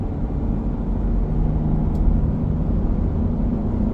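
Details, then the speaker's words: 2015 Chrysler Town & Country while driving on a hot day, rear hubs going bad: constant low growling, rubbing noise under the road rumble that gets louder and may change when swerving or turning; worn rear hub wheel bearings. "it's kind of a growling, rubbing, I don't know how to explain it, noise, but definitely noticeable. It gets louder."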